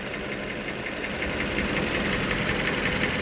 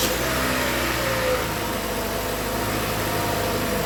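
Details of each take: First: 2013 Toyota Venza 2.7L after engine rebuild, first startup: steady idle with a faint light knock near three a second under the hum; attributed to worn balance shaft dampeners, not the rebuilt bottom end. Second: 2013 Toyota Venza 2.7L after engine work, coolant at half and oil slightly below full: smooth steady idle, a bit loud from the exhaust manifold design, no knocking or ticking; normal idle.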